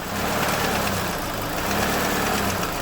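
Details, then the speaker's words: 2007 Chevrolet Lacetti 1.8 L, idling with a little throttle: loose, uneven metallic rattle like a bucket of bolts over the engine; worn shaft bushings let the vacuum-operated intake manifold flaps knock. "сам мотор по себе шумный но вот слышно ведро с болтами"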